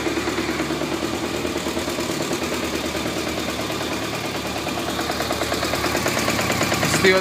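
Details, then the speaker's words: 1991 BMW K100 RS 16V motorcycle at idle: loose, uneven rattle around three per second from the junction between engine and gearbox; owner suspects clutch problem but is unsure. "it comes right from the junction between the gearbox and the engine it sounds like it's a clutch problem"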